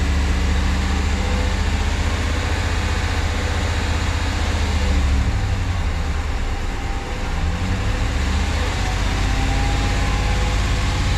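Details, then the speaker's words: 2016 Ram 1500 5.7 Hemi that ran low on oil, after MDS delete and PCM unlock, running about 20 minutes, coolant 190, oil 140, 50 psi: smooth quiet V8 idle, injectors clearly audible, no knocks; normal. "I can hear the fuel injectors very clearly. Other than that, she is nice and quiet and smooth."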